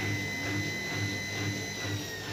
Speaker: dan kalau posisi cuci kosong Hai normal-normal saja ya tidak ada getaran sama sekali mesin cuci ini keadaan normal normal saja